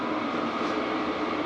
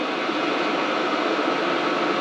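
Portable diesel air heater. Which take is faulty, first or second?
first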